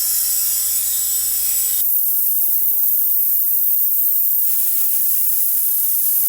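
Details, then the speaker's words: 1991 Big Cam Cummins NT 88 aftercooler system pressurized with shop air, engine not running: steady high airy hiss, traced to a charge-air boot not seated correctly; boost leak hiss. "sounds like it's it sounds like it's leaking"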